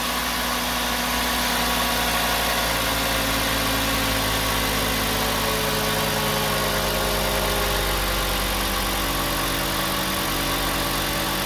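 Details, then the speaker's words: 2007 Volkswagen Jetta 2.5 with code P2279 and misfires in cylinders 1, 3 and 5, rough surging idle, after replacing the faulty part (Dorman 917-064): steady, even idle with a smooth hum, no surging or whistle; problem fixed. "it's not idle surgery anymore that idle sounds just nice there we go problem solved"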